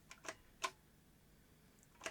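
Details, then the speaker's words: Philips N1702 VCR-LP video recorder with the clock module disconnected: light clicks and whirs in quick succession as it unlaces correctly at power-up. It won't relace afterwards; the clock module is identified as the cause of permanent lacing. "which is correct however it won't won't relace now"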